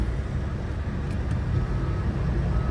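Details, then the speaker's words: Flooded Cadillac DTS limo from Copart, running after a dead battery: smooth engine with a thin, high whine that comes and goes; power steering pump whining from low or no fluid, engine otherwise sounds great. "Power steering pump whining because it's out of fluid, but aside from that, the engine sounds great."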